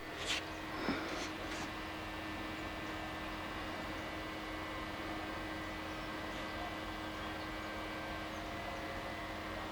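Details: Steady low buzz at a constant fixed pitch under a faint hiss at Young's well pad (10/11/2013). Equipment buzzing, source unknown.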